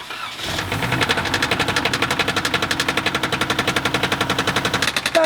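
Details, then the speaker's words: Flood-damaged car V6 engine, plugs and coils refitted after cranking out water, started: heavy regular metallic banging about four per second drowning out the engine; rod knock, engine destroyed by water ingestion. "knocking horse here is rod knocked the engines have been destroyed by water"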